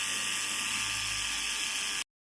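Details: Small hair trimmer after repair of a loose blade that had made noise and failed to cut hair: steady bright high buzz for two seconds then cuts out, running smoothly and healthy.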